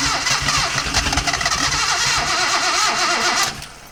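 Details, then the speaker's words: Datsun 280Z revival after ignition troubleshooting, throttle jammed open, cranking: fast uneven cranking with stumbling catches that almost pick up then die; fires briefly but won't run, fuel supply needed. "Oh, that is so close. Alright, let's get some starting fluid, not starting fluid, let's get some fuel, actual fuel in the thing."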